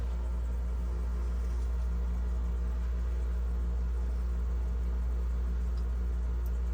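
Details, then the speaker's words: GE French-door refrigerator, fresh-food evaporator fan freed after a clogged drain seized it, now running: steady low hum, even unchanging tone, no scraping or ticking, spinning freely and smoothly. "Fan's running now y yeah took a little bit I thought I thought she was done but she's she's smooth as the butter"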